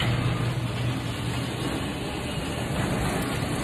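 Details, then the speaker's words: Garage door opener closing after the photo-eye reflector was wiped clean and the eye's red light went off: steady motor drone and even rumble as the door travels down without stalling or reversing; closes normally. "that means that you've cleaned the reflective surface and it should close like that"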